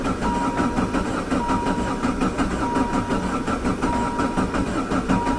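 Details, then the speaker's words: VW Jetta diesel-converted van with a mechanical injector pump, high kilometers, sitting since fall, after glow plugs; long slow rhythmic cranking at about eighty strokes a minute, no catch, as fuel drained back leaving the pump empty; fixed by hand-priming the pump. "it's never taken this long let me go okay take two I have primed the injector pump I did that by unhooking the fuel line and using the squeezy bottle and squeezing hand pressurized diesel into the injector pump it did seem empty"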